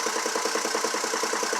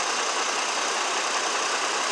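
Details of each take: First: 2002 GMC Envoy 4.2 at idle: a steady, rapid, uneven pulsing chuff instead of a smooth hum. The cylinder power balance test confirms a constant cylinder 2 misfire matching the check-engine code. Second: 2002 GMC Envoy 4.2 idling smoothly after replacing the bad cylinder 2 ignition coil that caused a hard misfire at idle; steady even hum, no stumbles.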